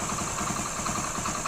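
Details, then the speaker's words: 2008 Hero Honda Splendor carbureted single: even, quick idle beat with light top-end ticking and no deep knock underneath; runs very smooth, normal idle. "இந்த 2008 model வண்டி பார்த்தீங்கன்னா ரொம்ப ரொம்ப ஸ்மூத்தா இருக்கும்"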